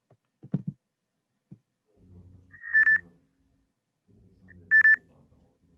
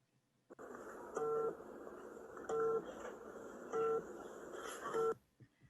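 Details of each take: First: Electric scooter pedestrian proximity alarm: three short high beeps about two seconds apart over quiet room noise, medium-rate stage-2 warning at 9 m distance; stage 3 at 6 m beeps faster. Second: Electric kick-scooter rider warning vibrator in a quiet room: four short buzzing pulses about 1.3 s apart, cycling as designed; strong, fast pulses at distance stages 2–3 (9 m, 6 m) and weak, slow pulses at stage 1.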